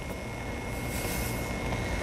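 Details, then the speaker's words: Dynaudio speakers fed through an Apollo audio interface from a MacBook Pro 16" with an Apple Pro Display XDR connected. A constant hiss, low hum and thin whine come through the speakers. The owner suspects the display sends a dirty power signal. "like is the Mac Pro display sending a dirty signal or something like dirty charts you know a power signal I don't is that is that a thing"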